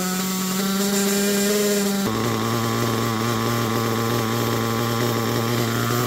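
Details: Picco P3TT DLC nitro engine with almost 10 gallons through it, new bearings and conrod, worn crankshaft, damaged sleeve and block: high steady buzz then lower uneven idle; worn engine won't idle cleanly.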